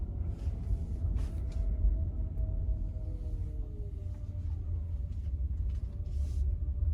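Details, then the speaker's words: 2023 Genesis GV60 driving in cold weather (about 46°F, Alabama), after felt tape was wrapped around the hatch's four alignment points: only a steady low road rumble with no taps, buzzes or rattles from the rear; the hatch noise is fixed. "then we came back and we put the felt tape around those four alignment points of the hatch and then we drove it again and you saw the noise went away"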